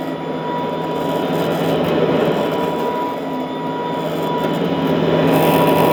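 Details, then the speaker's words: Vintage all-metal Royal Model 153 vacuum, owned 22 years, 3-amp bushing-style motor; smooth, steady quiet hum with constant mid-pitched whine, no grinding or surging; normal running. "Wow, what a smooth running, very quiet. I mean, it's the kind of sound that might help you sleep."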